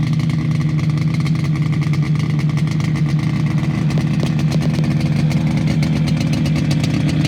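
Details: Fully restored 1980 Yamaha RD250F two-stroke: crisp, even burble with a buzzy mid note and light throttle blips; runs clean and healthy.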